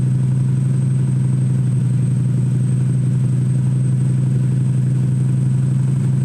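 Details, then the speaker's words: Home-built Mustang-swap Shelby Cobra replica V8 during street tuning: steady, even idle sitting noticeably fast with no hunt, throttle blade fully closed and off the throttle stop, whistling heard; high idle, possibly through the IAC, not confirmed. "Now we just got to turn the idle down a little bit. Actually, it's not even on the throttle stop. The throttle blade's 100% closed."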